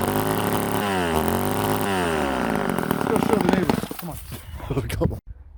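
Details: Old Ohlsson & Rice two-stroke chainsaw, sat 20+ years, after blowing it out restored fuel: revs climb and fall cleanly through several throttle blips, then settle toward idle before shutting off.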